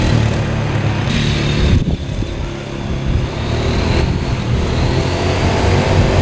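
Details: 2013 Polaris Sportsman 550 EFI EPS 4x4, written off by the dealer, after cleanup: steady, even low chug with small dips as the throttle shifts; all gears, reverse, high and low work, slight squeak from a probably rusty clutch.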